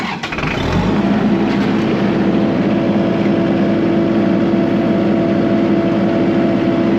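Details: Kubota MX5100 tractor diesel after PTO engagement fix: catches within a second, steady even running with no knocks or misses; healthy with PTO engaged.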